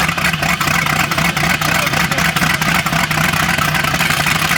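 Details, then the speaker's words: Late-1980s Cobalt boat with a 5.7 MerCruiser, previously locked up and winterized, just freed and started. Rough idle with a steady knock about four per second; suspected an unpumped hydraulic lifter or bottom-end rod/crank bearing, possibly bad gas; unconfirmed. "so it's got hydraulic lifters in here so it's either a lifter that isn't pumped up which wouldn't surprise me it's water pressure yeah bottom end noise rod bearing crank bearing could be all sorts of things"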